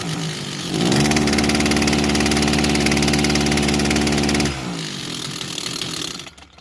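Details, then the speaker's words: Kawasaki TJ35 two-stroke brush cutter before repair: picks up, holds a strained buzzy note with heavy vibration, then sags and bogs; caused by carbon-blocked exhaust port and a carburetor needing service. "So I'm gonna start the engine and we're gonna just run through what's happening here. You can hear that the engine runs. But it struggles. A lot of vibration."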